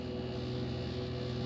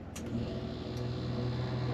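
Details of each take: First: Rear Dometic RV air conditioner on cool, fan set to auto, temperature turned very low: only a steady low compressor hum with no fan whoosh, as the fan won't come on in auto; a faulty thermostat is the cause, to be replaced. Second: RV rear Dometic air conditioner on generator after replacing faulty thermostat; low steady hum swells as compressor cuts in and generator takes load, starts cleanly and runs evenly; normal compressor start.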